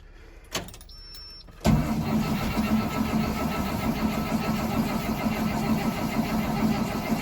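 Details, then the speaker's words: 2003 Blue Bird bus, International DT466E diesel, cold start at 11°F, not plugged in, unrun for about a week, after a shot of ether: steady fast cranking chug about two beats a second, never catches; cold no-start needing more starting fluid. "Looks like we're gonna have to give her another little snort here. We almost had her."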